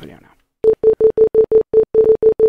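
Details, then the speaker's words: Headphones, not the PC, beep rapidly and steadily, about five per second, nonstop during a glitch where the mouse crawls a few pixels at a time; Naga Hex mouse with ctrl bound to left click held down, also happens randomly in games, cause unknown. "the headphones will start beeping not the actual computer itself the headphones will just play beeping noise over and over again"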